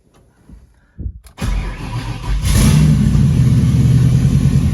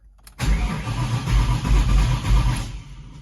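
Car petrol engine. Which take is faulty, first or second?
second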